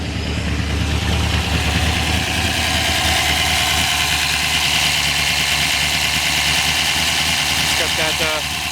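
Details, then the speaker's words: 1979 Ford Pinto ex-race car, refreshed V8 around 450 hp: steady lumpy idle with crisp fast top-end tick riding over it. Normal solid-lifter valvetrain tick at idle, aggressive sound. "solid lifter sound but anybody in the know know what that means so pretty aggressive sound to it"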